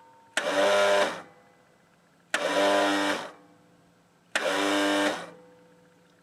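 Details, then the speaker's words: Craftsman L 9 lawnmower after cleaning corroded battery leads: three short whirring bursts about two seconds apart, engine never turns over; starter fails to crank though starter switch and clutch safety switch are okay; starter later replaced. "Not yet. There's something else going on. That noise indicates that the starter switch is okay, as well as a safety switch on the clutch."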